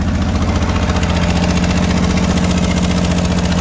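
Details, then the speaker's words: 1965 Ford Mustang just revived, still warming up with no pedal input: smooth, regular idle pulsing at a fairly quick pace with no misfires, but the idle sounds higher than it should. Cause suspected, not confirmed. "Said he wasn't touching the pedal at all. I figured that. It sounds like it's idle kind of high."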